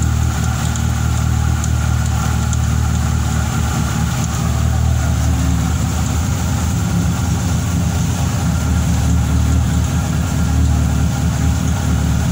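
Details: Fiat Tempra 2.0 16V just after a cold start: busy irregular clatter over engine hum at idle; owner suspects bearing, piston or a simple accessory bearing, cause unclear.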